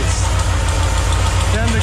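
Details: Pontiac Sunbird with twin Eaton 90 superchargers, 10 psi boost, 10 degrees base and about 28 degrees total timing: loud low uneven pulsing idle, loading up and dying; owner thinks timing too much and backs it off; rough idle.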